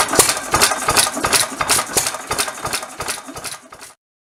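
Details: 1922 Bentall Pioneer 3-4hp single-cylinder engine from Maldon, UK, running after a rebuild. Crisp, even firing beats at about three per second with a light mechanical rattle, then fading away; runs sound and healthy.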